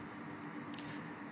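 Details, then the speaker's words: Centrifugal blower cooler on a Gigabyte RTX 3080 Ti Eagle, set to half speed on its external controller, GPU temperature dropping from 65 to 63 °C: soft, even airy whoosh with a faint steady hum, audible but not loud; normal blower fan running. "it's not that loud but you can definitely hear it not that loud but you can hear it"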